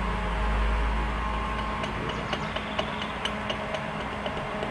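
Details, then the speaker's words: 2007/2008 Toyota Corolla flex, front left wheel removed: light sharp knocks about three a second as the brake caliper is rocked by hand; worn or unlubricated caliper slide pin. "olha ela faz um barulhinho"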